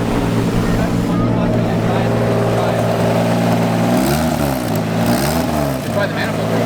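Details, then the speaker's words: Turbocharged drift car at track: engine revs up and down twice with raspy chuffing edge rising with revs; exhaust leak from blown turbo-to-manifold gasket. "I mean, I don't think I had a gasket. If I did, it wasn't that big of a gasket to leak that much. But definitely it was the exhaust leak."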